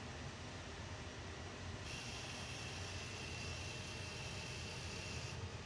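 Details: Furnace: over low rumble, high buzzing/rattling tone for about 3.5 seconds then stops, intermittent, seeming to come from one device and resonating through pipes, loud enough to hear outside; cause unknown.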